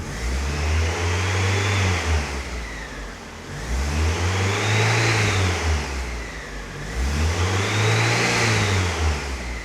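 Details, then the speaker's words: Miata with brand new alternator, revving: high whistle rising and falling with three throttle blips, even louder than before; alternator tested quiet, owner wonders if water pump causes it; source unknown. "It's even a louder whistle."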